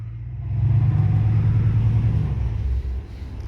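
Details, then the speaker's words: 1998 Dodge Ram 1500 with newly welded muffler, in park, revved slightly: deep, steady low rumble, even idle, no rasp or blowing; exhaust sounds sealed and better than before. "Yeah, I wish I would have showed y'all that before, but I like it. That sounds better."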